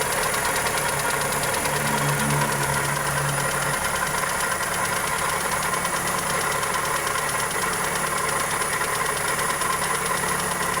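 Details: Toyota 2E engine (Corolla EE90) at steady idle with loose, uneven tapping of two or three per second; top-end tick or possible rod knock, cause unclear.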